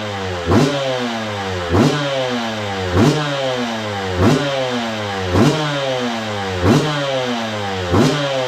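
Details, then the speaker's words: 2002 Yamaha YZ125 two-stroke dirt bike after long storage, choke on: throttle blipped about every 1.25 s, revs rise and fall cleanly, no knock or clatter; crank sounds good; normal revving. "Yep. She runs good. Let's go. Well, there you go, guys. Running really good too. And I knew it would. Crank sounds good."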